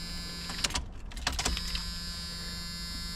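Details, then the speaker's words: 1985 Pontiac 6000 wagon with swapped 3800 supercharged V6, after fuel injector replacement, key on: a few clicks then a steady high-pitched electric buzz for a couple of seconds as the fuel pump primes normally; one injector was then found leaking. "Turn the key on, the fuel pump primes."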